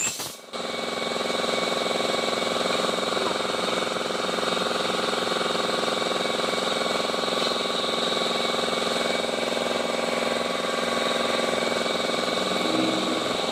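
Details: Honda i-DSI running steadily: harsh metallic grinding and whirr on top of the engine, suggesting wear inside the automatic gearbox, with vibration and delayed shifting reported.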